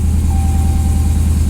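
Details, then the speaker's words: 1968 Dodge Charger restomod with Hellcat engine swap, first start after sorting cut wires, mixed harness and unprogrammed modules: deep, steady V8 idle with even beat, no stumble or misfire, clearing stored unburnt fuel; normal smooth idle. "It actually starts and starts smooth."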